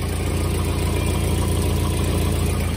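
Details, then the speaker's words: Volvo 240 at idle, about 24 hours after exhaust cracks were sealed with heat-cured sealant: even, steady low rumble with only a faint tick left underneath. The exhaust leak is largely sealed, not perfect but much better. "it's been a day been about 24 hours but start it up and see how it sounds gasps well she's up and running and as you can hear it's definitely much better"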